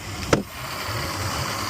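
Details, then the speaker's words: Old Suzuki 150 outboard, long unused, after first start: a click then a quiet, even low idle hum holding steady; it runs, but batteries are faulty and the charger faulted out; normal idle. "So, what I'll do is I'll call the customer and um let him know that uh she runs."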